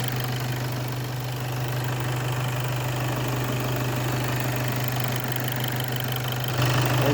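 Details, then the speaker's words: VW Passat B8 2.0 TDI EA288 (DFGA) diesel after repair and coolant bleeding, idle with coolant almost 90 °C: even, regular, unchanging clatter with no odd knocks; healthy engine at temperature. "So coolant temperature is almost 90."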